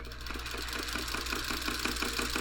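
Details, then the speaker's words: Singer 301 sewing machine from a thrift store, on first power-up before cleaning: regular dry thump about six or seven times a second as the motor runs it slowly; mechanism sounds dry, cause uncertain, and it later binds up. "get that hear that thumping it just sounds a little a little dry"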